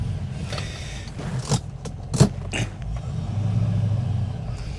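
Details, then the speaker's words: 1974 Rover 3500S V8 after its exhaust was fixed: a few clunks, then a deep, even rumble building smoothly as it pulls away; starts really well and runs cleanly. "Right. So hopefully he's going to start up. Starts up really well this car actually. It's really good."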